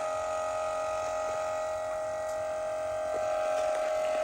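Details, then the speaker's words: BMW X5 E70 rear air suspension compressor after replacement, covers refitted, airing up: steady electric buzz and even hum, no rattle or knock; not as quiet as hoped but better than the old rock-grinding compressor. Normal operation. "definitely airing up and it's definitely not as quiet as I would like maybe I'm hyper sensitive right now maybe with all the cover you know and everything back on under here definitely doesn't sound as bad as the old one"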